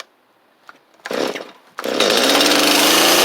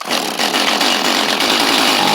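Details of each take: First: Free Stihl 250 chainsaw with good compression: pull-start, then it catches and runs clean, revving up and down smoothly with crisp throttle response; saw runs fine. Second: Free Stihl chainsaw, owner suspects flooding, half-choke with throttle held: high buzzing two-stroke fires and revs unevenly, sputtering as it tries to catch; nearly running but not yet settled.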